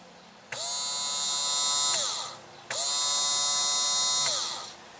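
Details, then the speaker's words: Boat bilge pump tested during pre-trip check, switched on by its power button: high, even electric whine starting and stopping twice, no rattle or grinding; pump works normally. "let's see if it will work just with this power button on and then the builds yep it works just with that"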